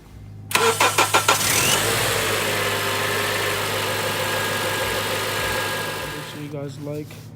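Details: 2004 Acura TSX after alternator replacement for a no-start: starter cranks about six quick beats, engine catches cleanly and settles into a steady, even idle before shutting off; normal start.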